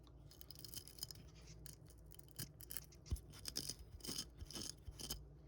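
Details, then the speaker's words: Abrasive grit trapped in the joint of a sandblasted tool with moving parts: irregular dry scratchy rasping each time the joint is worked, about two strokes a second; the fix is to blow it out or blast parts individually. "because yeah something like this with moving parts it's going to end up with a lot of grit in there you know all in here all in here like you gotta remember it is an abrasive gri"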